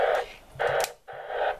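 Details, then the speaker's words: Budget Jaycar MP3800 0–24 V variable switch-mode power supply near an HF/VHF radio: hissy, rough noise in three short bursts at about S5 on six metres, gone when the supply is switched off; less than expected. "yeah it is s5 noise ago so to be honest that's not this not as bad as that's not as bad as I expected for a budget switch mode power supply"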